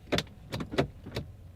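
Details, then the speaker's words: 2011 Audi A4 2.0 four-cylinder turbo on 200-amp jump start: only a few sharp starter clicks, no cranking at all; either starter failed or engine is locked up. "nothing same clicking it just clicks but it doesn't start which i kind of thought anyways because even with 500 amps out of the 900 it should have cranked the engine"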